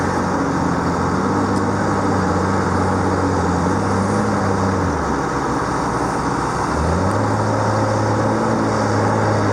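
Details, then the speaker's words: Diesel skidder engine: deep guttural steady growl that dips briefly and picks back up, smooth and even, unlike a screaming Detroit; healthy, normally running diesel. "If they made Viagra or Cialis in a sound, it would be that right there."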